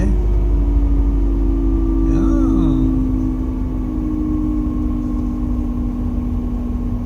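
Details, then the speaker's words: Mercedes CLK W208 M111 200K/230K with Eaton supercharger, road test in 3rd gear after fitting a modified compressor pulley: steady high supercharger whine over the engine under load, about double the previous sound; some bearing noise noted, needing replacement. "it's there... you can hear a significant increase in the sound of the compressor... the sound is double what it was before"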